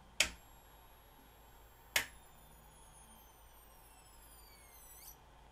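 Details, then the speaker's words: Magnavox MDR515H/F7 DVD/HDD recorder from 2011, dead with a strange internal sound, three leaked capacitors seen: sharp clicks about two seconds apart at switch-on, faint sagging whine; switch-mode supply problem suspected. "yeah i'm going to say there's a problem with the switch mode power supply so let's go ahead and pull this thing apart see if we can get the power supply out of it see what might be going on with"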